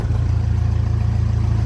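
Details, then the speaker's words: 1957 Ferguson 35 TVO tractor revved then released: steady fast beat that holds up instead of dropping back; idle stuck high because the lever wasn't refitted fully and doesn't touch the throttle rod, about to be adjusted. "and it doesn't want to go back so yeah when I took this off I couldn't get it back fully so I'm just going to adjust that now"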